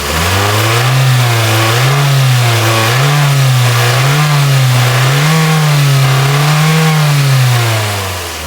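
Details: Toyota RAV4 with cable throttle, free-revved after replacing the faulty fuel pressure regulator that made it run rich with low power: engine swings smoothly and crisply through the revs, revving higher than before with no stumble; healthy.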